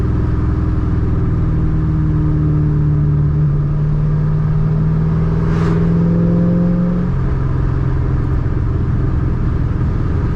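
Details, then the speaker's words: Ford Mustang 3-valve after removing a restrictor, driving: deep steady drone with clear intake rush swelling with throttle then settling, breathing freely; normal intake sound. "I hear the intake yeah it's it's already flowing a lot more air I feel it this thing is not choked out anymore"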